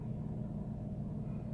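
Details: Toyota Agya/Ayla manual, started right after pressing the gas pedal 10 times: steady, slightly raised idle with even low hum, rpm over 1000-1400 (normal 800) expected to drop back within 1-2 minutes; elevated idle during idle relearn.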